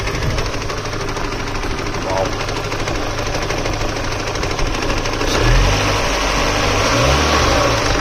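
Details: Irregular knocking at about three per second from a running engine; owner wonders whether it is a connecting rod, spun bearing or something else, cause unconfirmed.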